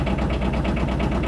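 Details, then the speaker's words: 2009–2011 Aixam Mega Multitruck with a Kubota Japanese tractor-type diesel, just started: loud, evenly paced diesel clatter at a steady idle with no misses; noisy but normal. "now started up give you a quick tour around so as you can hear it's quite noisy that's another thing that people don't really like hear it"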